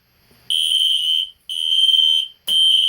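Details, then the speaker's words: Two System Sensor Spectralert Classic horns (P121575 and P2475): loud, shrill blasts about one second on with short gaps, slightly buzzy, raspy like FWR but actually on regular DC; horns sounding normally. "that was pretty cool but it did sounded like like one spectre alert is doing fwr but but they're actually well you guys are actually wrong they're not doing fwr because it's just regular dc"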